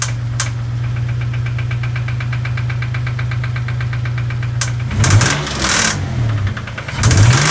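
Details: Dodge Stealth engine: steady rapid ticking over a lumpy idle, then heavy knocking when blipped, with smoking and very high oil pressure; suspected bent-valve tick plus bottom-end knock.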